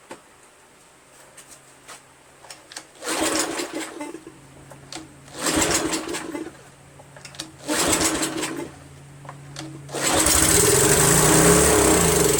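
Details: Craftsman 2700 PSI pressure washer, Briggs 7.75, stored over winter with undrained ethanol gas in a hot shed: three recoil pulls without catching, then a brief rough burst on starter fluid; gummed, syrupy carb bowl.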